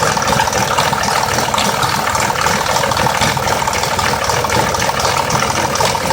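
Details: 2004 Mazda 6s 3.0L V6, 170k miles, new plugs and coils, pre-cats just replaced after being nearly fully clogged: idle with busy metallic ticking and light rattle, unsettled; owner suspects the bank 2 VVT solenoid needing replacement, unconfirmed.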